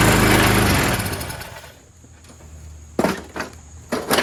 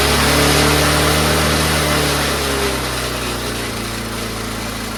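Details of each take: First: Troy-Bilt 22-inch mower, 4HP Briggs Quantum, run on choke: pulls hard then eases, with sharp bursts as it bites grass; normal running under mowing load. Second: Troy-Bilt 22-inch mower, 4HP Briggs Quantum single-cylinder, throttle plate had no governor connection, owner-made linkage fitted: settles from a faster run to a steady, even lower speed; improvised governor linkage.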